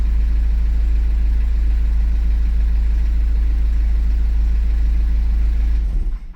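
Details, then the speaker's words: 2014 Subaru Outback 2.0 turbo diesel (E20) with no codes: runs steadily with revs held, then sags and stalls within a second of letting off. Stretched timing chain suspected; cam/crank correlation done to check. "So, I could hold this forever and it'll be no problem. But as soon as I let off, let's see what it does."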